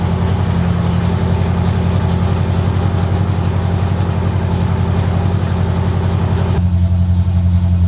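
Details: 1970 Corvette, freshly rebuilt small block with AFR heads, Clay Smith cam, hydraulic roller lifters, Harland Sharp 1.5 rockers and new headers, first run after six months: strong steady deep lope, regular lumpy pulse, no ticks or knocks; normal idle.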